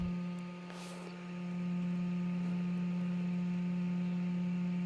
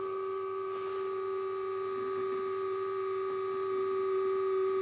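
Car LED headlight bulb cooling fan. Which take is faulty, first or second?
second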